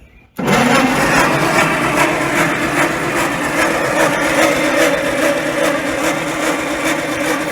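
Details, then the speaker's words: 1950s roller engine running again after revival from scrap: it catches and settles into a fairly steady, slightly uneven run with busy mechanical clatter. Smoke comes from coolant burning off after the head was drained; it runs reasonably well. "wo heck yeah baby it actually sounds like runs halfway decent look at that smoke oh yeah just burning off all that coolant from when we drained the head there"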